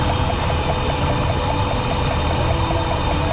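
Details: Dodge Ram pickup, possibly 2004, 198,000 miles, misfiring with check-engine light, coil moved from cylinder eight to six: idle rumble with a repeating light stumble; the coil leaks spark out through its boot, causing the misfire.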